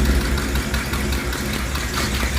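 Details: V8 after welding the cracked exhaust manifold and refitting it with copper silicone, deep steady idle with an even pulse and no puffing or ticking; exhaust sealed and running right.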